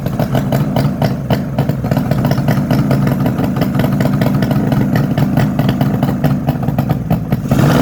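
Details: 1972 Suzuki GT750J two-stroke water-cooled triple, 35k miles, cold start on choke: loud sharp rapid popping and raspy chuffing at idle; exhaust leaking where crossover pipe has come out of its joint.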